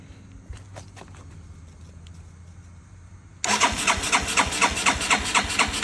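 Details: 1981 Yamaha SR185 single after replacing faulty TCI (weak spark, sputter, bog, backfire) with Ignitech unit, aftermarket carb: fires at once, choke off, settles into brisk, even, higher idle with no sputter; healthy.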